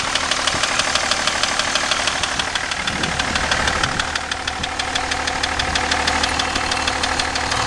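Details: BMW E38 730d M57 diesel: steady idle with a sharp, regular knock about three times a second riding over it; engine knock of unknown source.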